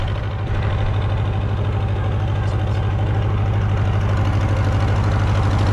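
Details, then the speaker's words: Massey Harris 30 tractor after the oil was burned out of its cylinders: even low thumping idle with all cylinders firing and no skips; the fuel sediment bowl is leaking gas. "running pretty good right now. Just outside of that sediment bowl leaking not really bad. We cleared up all that oil. It isn't missing at all. Good sign."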